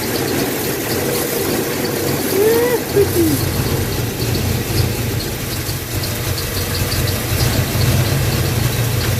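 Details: 1986 Chevy K5 Blazer, new long block installed after a blown head gasket, just started with timing set: even, steady low rumble with no knocking or missed beats; smooth, clean idle.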